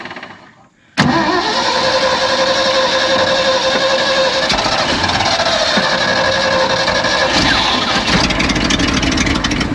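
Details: Abandoned 1970 Ford F600 U-Haul truck that sat about 30 years, getting gas with butterfly held down: starter cranks steadily nine seconds, engine never catches or speeds up; cranks, no start. Starter solenoid then found smoking.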